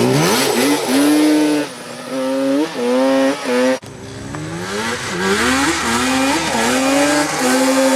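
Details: Banshee two-stroke ATV after cleaning a plugged carburetor: crisp buzz climbs and falls cleanly with each blip, revving freely without stumbling or dying; normal running.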